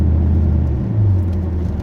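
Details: Car engine while driving after repair of a loud clanging fault has a smooth, even low rumble with no ticking or knocking; it sounds healthy.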